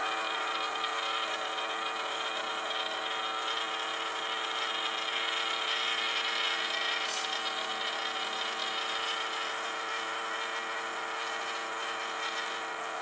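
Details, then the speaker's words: Tiny 3 V DC motor run at 16 volts to destroy it: shrill, steady high-pitched whine with a buzzy rattle underneath; spinning far over rated voltage and nearing failure. "Sounds like it's kind of already on its last thing."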